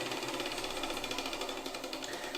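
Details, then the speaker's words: Table saw induction motor after start capacitor replacement (with resistor protecting centrifugal switch contacts): noisy at start, click and quieter as switch opens, then even rapid clicking on coast-down as the centrifugal switch re-engages; normal. "you can hear it's kind of noisy when it starts up and then you can hear it click and it gets less noisy that's the centrifugal twitch [Music] and there it is re-engaging"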